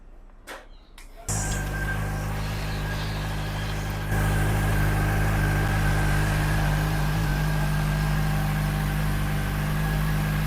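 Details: CFMOTO SRK450RR just after its first service (oil change, about 2.7 litres, new filter): engine catches after a couple of clicks, settles into a smooth even idle with a faint steady whine, no irregular knocks; owner calls it smooth; normal idle.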